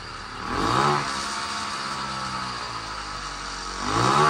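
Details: 60cc bicycle-kit two-stroke engine running on hydrogen through a hydrogen carburetor at standard ignition timing: revs with a rough, spitting note and backfires through carburetor and exhaust because the timing needs retarding.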